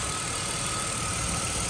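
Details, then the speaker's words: BMW X5 after an oil leak repair: the hard, cracking O-ring/gasket was replaced and the injector rail refitted. Restarted, the gearbox is not seating properly, but the engine idles steady, even and smooth with a faint high whine and no knocks or misses. "This gearbox is not seating properly though. Idling smooth guys. Smooth, smooth."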